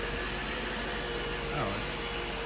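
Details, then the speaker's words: Mercedes 500SL R129 M119 V8 with mechanical fuel distributor, started after sitting over a month, about 60°F: even steady idle with faint tone, no knocks or misses; air pump audible until warm; normal idle. "purring so smooth there's your fuel distributor old school"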